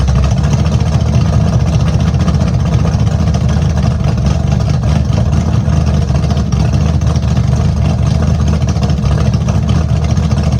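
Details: Small-block V8 Camaro after tune-up with fresh plugs, straight open headers, true cold start after sitting three weeks: deep loping idle with uneven choppy beat from the cam, loud and steady; runs fine.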